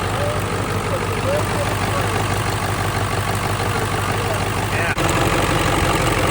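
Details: Ford F250 Powerstroke diesel after fitting a used starter and reconnecting the PCV: steady, even diesel clatter at idle with no misses or knocks, smoking much less than before.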